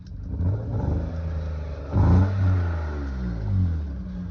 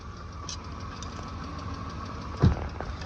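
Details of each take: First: BMW E34 Touring, M50 engine that needed a jump start and nearly stalled, before an S52 swap: clean revs climb and fall smoothly with steady pull, no knocks or rattles. Healthy engine. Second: BMW E34 Touring with M50 engine, cold idle after being jump-started: light fast top-end ticking over a steady low hum.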